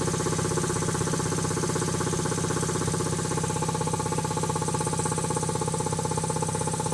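Steady even chugging around four beats a second with a constant motor hum, no knocks or air leaks; compressor runs healthy.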